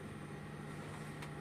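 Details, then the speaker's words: Amplifier at volume 3 o'clock with Bluetooth input connected, no music: steady low hum, quieter than at first, caused by poorly installed input cabling; no hum without input. "suara dengungannya di posisi jam 3 itu ada cuman tidak sekeras yang pertama tadi"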